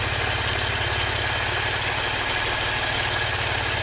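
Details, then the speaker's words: 2016 Maserati Ghibli Q4 twin-turbo V6, 60k miles, bank 1 not breathing: during a cylinder drop test, unplugging coils on cylinders 1–3 leaves the even idle pulse unchanged; that bank is dead, engine suspected far out of time. "This bank is dead. Let's get a pressure transducer out and see, compare bank to bank."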